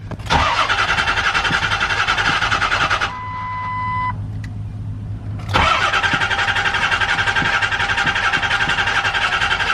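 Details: Diesel truck after injector work, jump-started from another truck once glow plug light went off: starter cranks in steady pulses about four per second, pauses, cranks again, never catches; crank no-start.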